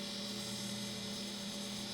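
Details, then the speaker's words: Old hard drive connected through a USB bridge, booting on a Windows 11 system: loud constant whir with a steady hum under a high hiss, no clicking; the drive is likely failing and may lock up the system. "yeah that drive is going south it might actually cause my system to lock up"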